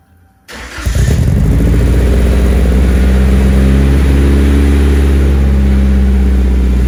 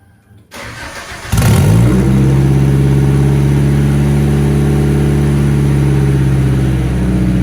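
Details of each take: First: Nissan 240SX after installing new exhaust gaskets and a muffler on an ISR single GT exhaust, recorded in the garage; starts with a sharp bark, then a loud, even, deep idle with no ticking or puffing, so the exhaust leaks are fixed. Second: Nissan 240SX with ISR single GT exhaust, before muffler and new gaskets: engine cranks and fires into a very loud, deep, uneven exhaust drone; exhaust leaks, fumes leaking into the cabin.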